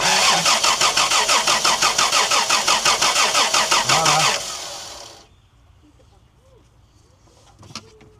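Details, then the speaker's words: 1990 Toyota LandCruiser petrol engine that has sat for years cranks steadily, about three beats a second, with no firing; there is no spark because the points are suspected not to be closing, fixed by reducing the points gap. "All right. No spark. I'm just going to manually do the points here."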